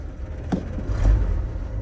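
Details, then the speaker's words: 1978 Chevy G20 van with a fairly new exhaust, idling cold just after starting: deep, steady low rumble with a slight swell, no knocks or misses; oil pressure healthy. Normal cold idle. "see the oil pressure is nice and healthy you see the temperature is still cold it's got a fairly new exhaust system on it"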